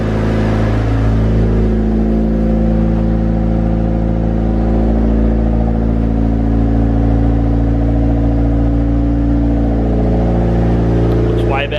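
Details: Honda Civic Turbo first start after distributor seal replacement, timing kept at its marks: steady, even idle with a smooth low hum and no knocks or misses, settling and running cleanly.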